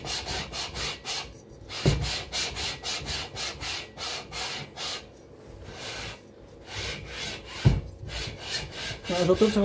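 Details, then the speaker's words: Cox 1600 engine, second lapping pass with fine paste, barrel onto aluminium head (no gasket): smooth even rubbing strokes about three a second, no catching or grabbing; surfaces no longer grab, mating faces flat. "que ça ne reprend plus, ça fait plus que frotter. Donc là pour moi, on est à plat."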